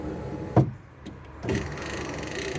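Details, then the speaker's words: Project Ruby window: one sharp clunk, then a strained whirring motor for about a second as the regulator motor recoils; the cam has slipped off the guide and the motor must wind fully back for the cam to go under the guide. "now this is the motor recoiling itself there we go and then the cam slips back in if you understand what's going on you have to wind the motor all the way back again for the cam to go underneath the guide"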